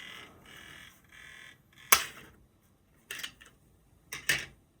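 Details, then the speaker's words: PSP 3000 Monster Hunter model, UMD drive retested with a sampler disc; short whirring buzzes and sharp clicks as it repeatedly fails to read; faulty UMD drive, fixable easily with backup drives. "But yeah, looks like we have UMD issues, which could be fixed pretty easily."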